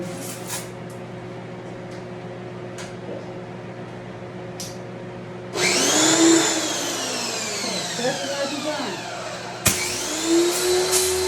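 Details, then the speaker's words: Home screen-printing shop pressure washer: on switch-on, air in the water line makes the motor rev up twice and wander up and down instead of settling; surging from trapped air. "I tend to when I first turn the pressure washer on, there's a lot of air in the system, and so when the air is in the system, it'll rev up like that."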